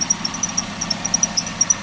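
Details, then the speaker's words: Car at idle during a periodic service check with the AC switched on: sharp light ticks about six to seven a second over a quiet idle; ticking stops when the AC is turned off, so it comes from the AC compressor pulley. "suara berdetik. Selanjutnya kita coba matikan AC. Nah, suaranya hilang. Berarti masalahnya yaitu ada di bagian ini puli kompresor AC."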